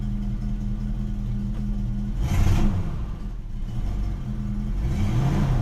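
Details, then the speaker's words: 1973 Ford Maverick V8, manual, started cold: lumpy idle, then coughs and drags when the throttle is stabbed before revs slowly climb; hesitation and bog on acceleration, improves when warm, owner suspects timing and fueling issues. "the choking when i stomp on the gas well really the car is cold so i shouldn't really be doing that anyway it does get better as the car warms up but i still have an issue with timing and fueling"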